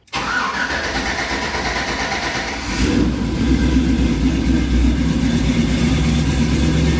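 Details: C10 pickup V8 restarted after bleeding air from the coolant system: quick crank, fires right up and settles to a steady, even idle with no ticking or knock; sounds healthy.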